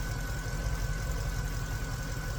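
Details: Mercedes C63 AMG at idle, power steering pump audible after topping up fluid for steering repair: steady, even idle with faint constant high whine, pump noise has gone down, no leaks; pump sounds healthy.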